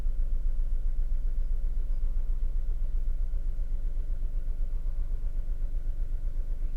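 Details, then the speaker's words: VW Polo 3-cylinder at idle, not yet warmed up, cylinder 2 pulled off to induce a misfire, exhaust pressure transducer fitted: uneven idle with a steady lumpy stumble about four times a second, the classic dead-cylinder misfire. "There we go, so we've got a misfire. So got a lot of pulses here, that's doing that."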